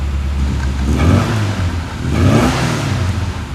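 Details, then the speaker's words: 1974 Mini Cooper, manual choke pulled, two pumps: small four-cylinder starts easily, then two smooth even throttle blips rising and falling, no misses; normal start and rev. "it has a manual choke so you manually choke it I can barely fit and two pumps and she comes to life pretty easily"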